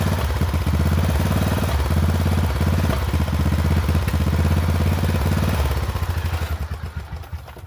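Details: Poulan XT 12538 riding mower, 12.5 hp single-cylinder, 38-inch deck, carburetor had leaked fuel into crankcase and been replaced; thumps unevenly about three beats a second, then dies away, runs rough; owner suspects valves out of adjustment, unconfirmed.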